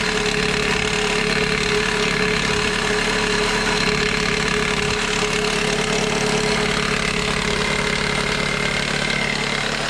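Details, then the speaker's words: 2001 Toyota Corolla four-cylinder idling in drive with e-brake on: fast, steady metallic chatter from the serpentine belt tensioner, which quiets when pressed by hand; fixed by replacing the tensioner. "when you fire up the car and it's running it starts making this terrible like chattering freaking rattling noise like right over here"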